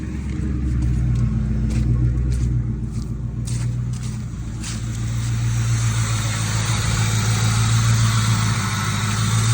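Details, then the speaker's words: 1996–98 Mustang GT V8 after installing a Dragon Fire coil pack and plug wires and clearing a cylinder 4 misfire code: a deep, steady, even idle rumble with no stumbles or missed beats. "The idle is extremely smooth, as you can hear."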